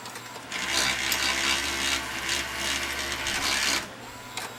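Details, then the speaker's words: Toshiba VM42 Betamax VCR: high uneven whirring chatter with irregular ticks; a ridge rides against the cracked black plastic gear, which slips back and forth on rewind, causing the noise. "There's a ridge on this side, and that's actually riding up against the this gear. That's what's causing the noise."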